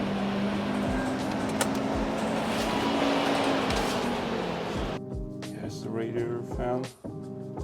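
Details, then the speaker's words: BMW E38 730d, M57 3.0 diesel with over 500,000 km, ignition on with the coolant temperature sensor unplugged: the electric front radiator fan runs flat out as a loud, steady rushing roar with a faint hum. "So, I kind of freaked out cuz when I turned the ignition on, um the electric fan in the front [music] went bananas"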